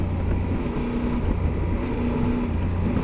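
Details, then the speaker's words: 2015 Yamaha Super Tenere parallel twin, riding under throttle: a faint whistly tapping rides over the engine drone and road rumble. Rider says it is an engine noise; cause unknown, possibly just the big twin. "there's like a little whistly tapping that's going on and it's under throttle like that's that's an engine noise that it's making"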